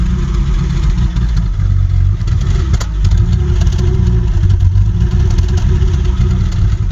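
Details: 1984 Alpina B6 with the 2.8-litre M30 engine at idle: lumpy, uneven idle with a low beat that stumbles and drops out; one or more cylinders misfiring, cause still being troubleshot.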